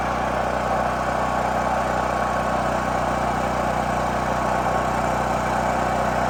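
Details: New Holland Agriculture 6500 W generator, previously seized after running low on oil, restarted with fresh gas, valve cover and spark plug refitted; constant, even drone at governed speed, no knocking, scraping or hunting; normal running.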